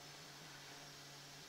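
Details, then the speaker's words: Load-testing a 4-port 50 W USB charger rated 2.7 A per port with a USB load tester, current being turned up toward 2.7 A: the internal cooling fan kicks on with a steady low buzz and airy hiss. This is normal fan noise under load. "nope the fans kicking on so if you hear that buzzing noise it's the fan"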